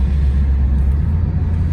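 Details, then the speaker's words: 2009 Pontiac G8 GT test drive after carrier bearing replacement on the two-piece driveshaft: smooth low road and drivetrain rumble, previous clunking gone; fix confirmed. "Alright guys, so I'm on a test drive and I actually have no more clunking. Perfect fix, because that's what the problem was."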